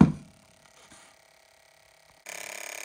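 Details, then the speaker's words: Fuel injector from a 1992 Ford F-150 on a pulse tester, freed after soaking in cleaner: quiet at first, then fast steady buzzing tick; normal injector clicking, now opening and actuating cleanly. "all right so you can hear that ticking now it's clear it's opening it's actuating and fluid will flow all the way through it"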